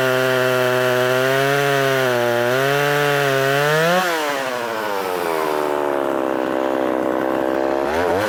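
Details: Poulan 3300 chainsaw, freshly revived, cutting wood: the high buzz climbs, bogs a little in the cut, then recovers cleanly with strong, even running and no sputter. Normal running under load.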